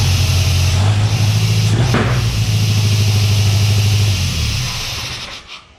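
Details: Chevy S10 with a swapped, turbocharged Mercruiser 140 boat engine on a new 3-inch exhaust, showing only 12 PSI boost: low, uneven drone that sags and stalls; owner suspects a computer/tuning problem.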